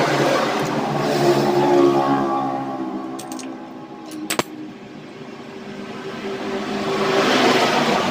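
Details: Honda Supra 125 single-cylinder motorcycle after repairing a broken ignition wiring path (lost spark): fires and runs with a smooth, even note, swelling cleanly on light revs; ignition restored, normal running.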